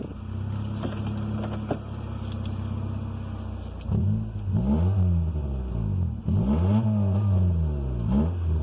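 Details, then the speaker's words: 1994 Honda Civic, under 93,000 miles, just jump-started after battery died: loud, raspy exhaust roar swelling and dropping with throttle blips, sounds like a race car. "sounds like a race car"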